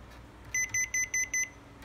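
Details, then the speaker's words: Panasonic air purifier plugged in with the magnet of its magnetic tip-over sensor missing after cleaning: rapid high beeps in runs of five with pauses; won't run until the magnet is refitted and power cycled. "Nếu mà rơi cục nam châm này thì máy sẽ báo kêu tít tít. Đây, khi cắm điện vào đấy nó sẽ kêu như"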